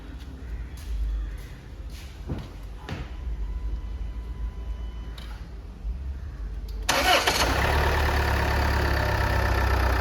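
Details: Land Rover Evoque 2.2L diesel, first start after replacing the timing belt, water pump, alternator pulley and belt tensioner: quiet clicks, then it starts cleanly and settles into a smooth, steady idle without rattles or misfires.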